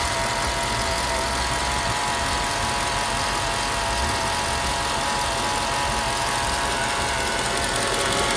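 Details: Mercedes E55 AMG V8 at idle: a steady, high whine of one pitch rides over the idle with the engine at rest. The owner wonders if it is the harmonic balancer; the cause is unconfirmed.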